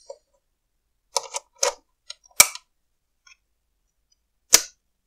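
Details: 1970s Unaohm G421E analog oscilloscope at power-on: sharp, irregular snapping cracks about a second apart and no steady hum. The power transformer's wire insulation is crumbling and arcing.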